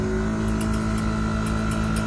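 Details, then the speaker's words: Air-ride compressor on a mini truck, steady hum with a faint irregular ticking from the inline check valve tapping; it will eventually wear out but is all right for now, and the system is much quieter than before. "you can hear the check valve tap. That will eventually wear it out. But it's all right for now."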